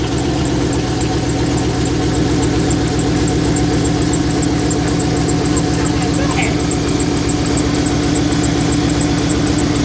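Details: 2001 Dodge Ram 1500 pickup, 5.2 engine, check engine light on, multiple problems: heavy, uneven pulsing idle with rough low thrum and steady beat; sounds laboured, cause not pinned down.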